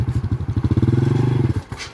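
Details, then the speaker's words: Honda scooter that jerks and stalls when pulling away needs high revs to move, and drive barely takes up before dropping off: a slipping clutch. The clutch spring was suspected but found intact. "ครับเดี๋ยวมันต้องใช้รอบสูงนะครับถึงถึงจะขี่ได้ลองเอาครับต้องเลียคลัชนะครับเหมือนเป็นเหมือนเป็นคลัชมือนะครับผมว่าน่าจะสปริงคัชครับแบบนี้สปริงคัชก้อนครับ"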